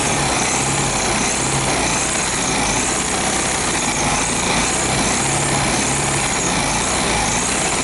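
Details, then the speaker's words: 1973 VW Beetle air-cooled engine after oil pump replacement, being revved; harsh scraping rasp over the clatter as the slightly bent crank pulley rubs on the hammered engine tin. "ah esse barulho esquisito é porque a polia ela infelizmente ela tá pegando naquela chapinha que eu martelei"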